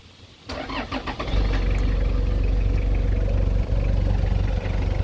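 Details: 1996 Toyota Hiace turbo diesel, rear-wheel drive, about 25 years old with only 1000 km: quick crank catches within a second and settles into an even, low diesel clatter at idle, a healthy start.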